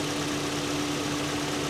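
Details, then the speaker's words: 2004 Mazda MX-5 Miata DOHC four-cylinder at a salvage lot, engine bay: smooth, steady idle with a low hum and no knocks, misses or surging, an audible idle cycle; coolant a little dark, maybe just blue, seems maintained; normal idle. "these are fun fun fun little cars and she's steady okay did you hear the cycle yeah"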